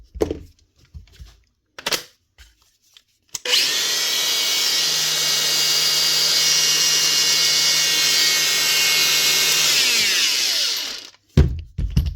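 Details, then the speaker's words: Makita DGA452 brushed cordless grinder after new brushes and caps: spins up to a clean, steady high whine with no crackle or stutter, then winds down smoothly; normal running after repair. "better. There's the first Makita grater up and running."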